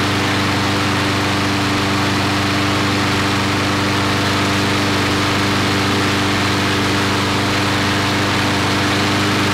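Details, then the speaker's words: Briggs & Stratton 5-6 hp flathead lawnmower engine, after a long storage, with governed rpm raised from 2160 by moving the throttle linkage forward: steady, even high-speed drone with no hunting or surging; running well at correct governed speed. "so it's running real good"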